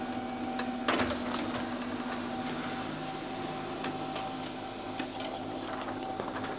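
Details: HP LaserJet M1132 MFP after repair, test print: soft whirring and light rhythmic paper-feed clicks with no grinding or squeal; normal printing.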